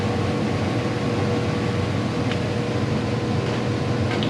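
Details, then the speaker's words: Condo furnace blower after tightening loose screws, changing the filter and taping an air leak: smooth, steady hum with a faint even tone, no rattles or scraping, much quieter than before; healthy fan. "a lot quieter yeah it is i'll wait for that blower to come on and better yeah"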